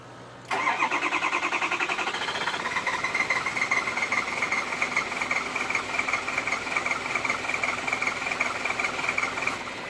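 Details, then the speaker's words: Ford 6.0 Powerstroke diesel, 112,000 miles, shut down at highway speed; cranks about nine seconds without firing, no codes, fuel pump replaced, IPR 85% and ICP 400 psi while cranking; HPOP diagnosed bad, IPR valve replaced. "tries to start up it's like as if fuels not getting to it"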